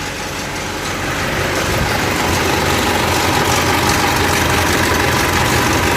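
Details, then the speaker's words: Mitsubishi Pajero Dakar 3.2 diesel idling with the injection warning light on, before repair: loud busy metallic rattle from the front of the engine, diagnosed as the timing chain, which is to be replaced. "aí pessoal tá claramente o barulho me indicando que o barulho tá aqui ó na frente o motor EA Corrente Comando tá bem claro"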